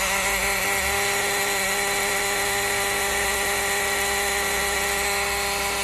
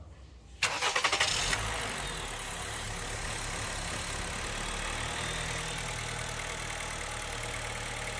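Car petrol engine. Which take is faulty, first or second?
first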